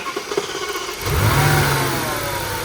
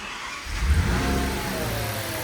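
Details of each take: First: Audi S8 V10, replacement engine first runs, both air mass meters plugged back in after sealing air leaks: catches, flares, then settles into steady, even idle without shaking; a faint extra noise remains. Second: Audi S8 V10 replacement engine on first start, both air mass meters unplugged: low, wavering note that surges and never settles, like sucking false air; suspected vacuum leak, smoke test planned.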